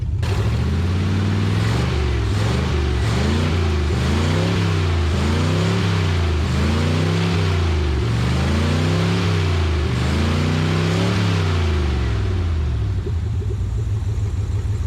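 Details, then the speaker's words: Abandoned 1959 International B100 truck, revived after sitting: several clean throttle blips with pitch rising and falling smoothly, then an even, steady idle. The engine sounds healthy. "but that thing sounds pretty pretty healthy guys I'm really impressed with how good that"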